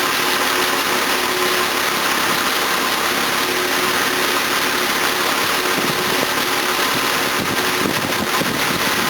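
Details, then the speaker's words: Series 1 Jaguar XJ6 with twin SU carburettors, no choke, stone cold on a freezing day after a water pump and thermostat replacement, thermostat not yet open. Constant, smooth idle with airy hiss and no hunting; idle is perfect, timing possibly a little too advanced. "um idle's perfect probably got the timing a little too advanced but we'll see"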